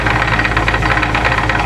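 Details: Sewage pump test run after propeller refit and gearbox oil refill: dense, even mechanical chatter over steady drive hum, no clunks or grinding; a little chatter normal for these gears.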